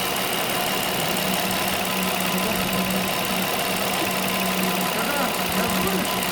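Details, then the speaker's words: Nissan Murano engine running: a thin whistle under the hood rises as the throttle opens. It was first suspected to be the CVT but is actually an air leak through a worn rubber bushing (silent block). "Какой неприятный свисток. А Вася подумал, что это вариатор. Там . Но оказалось, что дело было не в вариаторе, а именно в утечке воздуха в этом сайлентблоке."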